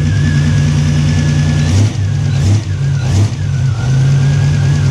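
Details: Pontiac GTO V8 after a repair of its repeatedly cracked exhaust manifold: a deep, even idle with quick throttle blips that rise and settle cleanly. No ticking or puffing; healthy sealed exhaust.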